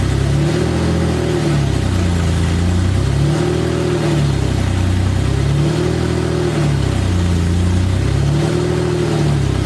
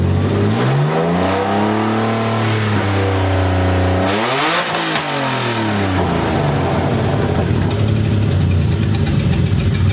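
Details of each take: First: BMW E30 first start-up after installing the exhaust manifold, headers only with no exhaust system: very loud, raw engine note rising and falling in repeated revs every two or three seconds, barking straight out of open headers. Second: BMW E30 with burble tune on open headers only, first start-up: loud six revs climb and fall cleanly, crisp throttle response, faint overrun crackle; normal revving.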